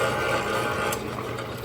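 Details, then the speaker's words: Harbor Freight rock tumbler about four times louder than identical units, giving a loud, rough hum with faint fast ticking. The belt is not the cause and nothing is loose; a bad motor bearing is suspected but unconfirmed. "boy that is a noisy noisy guy right there so this this one is like four times noisier than than the other ones here"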